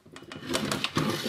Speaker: and there we have it that's a clock ticking away there